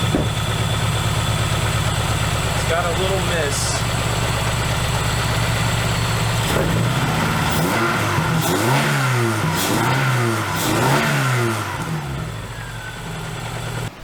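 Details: Dodge Neon ACR after long revival, idling with a slightly uneven stumbling beat, mild misfire, wavering revs; MAP and knock sensors found unplugged, and an injector found leaking with no rail pressure, suspected as the cause.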